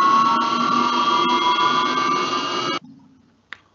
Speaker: you can notice that when it's yelling we keep in mind that we are always speeding up the water so there is a a critical speed where we really can hear this tonal and yelling noise